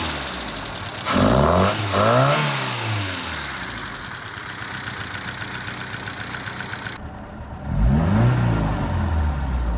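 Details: 1978 FIAT 124 Spider: uneven, lumpy idle between a few throttle blips, beat wavering instead of settling; rough idle, cause not yet found.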